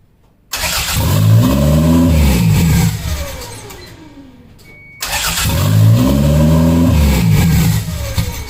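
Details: 1992 Toyota MR2, recorded from atop the trunk, before plugging an unplugged intake manifold vacuum line: catches, flares, then hangs at raised steady idle; high idle from throttle not fully closing.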